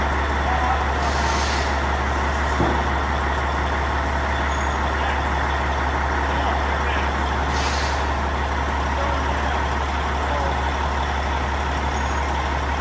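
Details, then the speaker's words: Non-running Peterbilt 379 project truck diesel, first start: low steady idle drone, slightly uneven and loping, with faint whine; owner suspects a little air in the system, unconfirmed. "running a little choppy. It might even I don't know. You hear it? It's got a little wheel in it."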